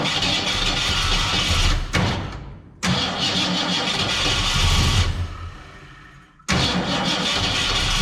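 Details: 1967 Ford Fairlane, not run in 7 years: engine catches and runs ragged a second or two, then dies, three tries, never idling. Won't stay running; owner unsure whether it is fuel and says the carburetor needs a rebuild.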